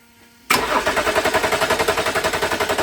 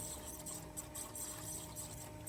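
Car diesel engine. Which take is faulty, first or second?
second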